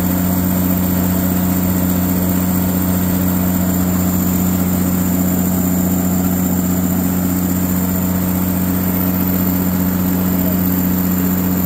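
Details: Katolight 110 kVA three-phase diesel genset running outdoors: deep steady drone with even low hum, no knocks, misses or hunting; runs great and came up to temperature.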